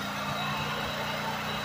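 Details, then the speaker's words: Generator running on Harbor Freight DIY wood-chip gasifier gas under a moderate load of about 1300 W: a steady, even engine drone. The engine note changes when the reactor's upper lid is opened and air alters the gas, but it holds speed. "so you can hear the engine changing so it will take advantage to reestablish an air"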